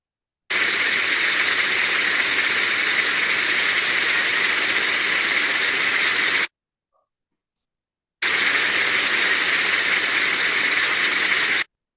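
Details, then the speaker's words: Ultrasound reading on a planetary gearbox after replacing incorrect oil type with the correct oil: steady, smooth, uniform hiss with only slight modulation, no rough bursts; gearbox now running smoothly. "we can see that just a change in the right oil produced a much smoother uniform sound we could still hear the slight modulation um but now it sounded much smoother"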